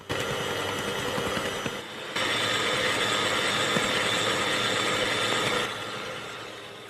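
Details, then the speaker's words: Kenwood kMix 500 W stand mixer with K-beater and an overfilled 5-litre bowl; steady high-pitched winding whine over the churning beater, holding pitch under load; motor whine under overload. "The bowl is overfilled here. And this machine with this capacity in it whines. You can hear that winding sound."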